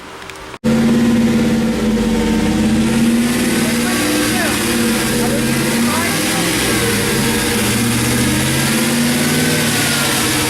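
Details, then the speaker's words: 2007 GM 4.8 Vortec LS V8 after lifter and camshaft replacement, during cam break-in revved and varied between 2000–2500 rpm: smooth, even fast idle with no ticking or knocking. Lifter noise is gone; normal running. "basically what I did was rev the engine between 2000 and 2500 rpms make sure you do not go below 2000 rpms and make sure you fluctuate while you're doing that really important"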